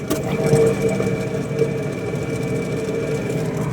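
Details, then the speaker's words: Toyota Prius C, customer reports roaring noise from rear while driving: steady low roar with droning hum from worn right rear wheel bearing; left side quieter; bearing replaced. "So upon further inspection, it is the right rear wheel bearing that is making noise."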